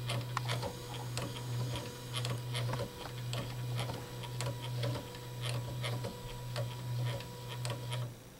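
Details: Mocked-up RepRap 3D printer, Z axis raised 10 mm with a visibly wobbling, temporary-parts setup: steady low stepper motor hum with faint ticks about every two seconds; owner unsure if normal.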